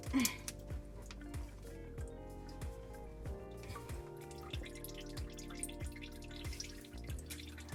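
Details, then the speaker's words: Kitchen sink garbage disposal, reassembled after clearing a jam from a fallen glass, drain fitting retightened: steady plinking drip about every half second; owner thinks it is leftover water but suspects a possible leak at the drain connection. "I'm gonna wait till this water stops dripping and then I'm gonna do another test run."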